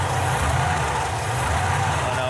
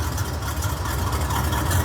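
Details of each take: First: 1968 Camaro RS/SS V8 started after new fuel lines, oil and transmission fluid; brief hesitation from new fuel lines, then even steady burble with no skips, all cylinders firing: normal idle. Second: 1968 Camaro RS/SS V8 with an old-school cam, idling while still warming up: a deep, uneven lope with occasional stumbles. One cylinder is half-missing, still partly firing.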